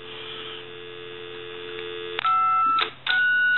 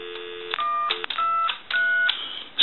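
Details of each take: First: Original Mickey Mouse telephone: dial tone, then steady key-tone bursts with occasional off warbles on keys 5 and 6. The keypad isn't producing the proper DTMF tone frequencies, so it needs keypad repair. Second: Telephone keypad on dial tone: three clean, steady two-tone key beeps, each about half a second with short gaps, these keys dialing correctly, though the 5 and 6 keys elsewhere produce a faulty tone.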